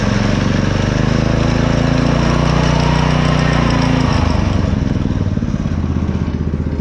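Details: Go-kart small engine with a newly installed torque converter, tires moving; strong, even run dropping cleanly to a lower speed around four seconds, no slipping squeal or clatter; normal running.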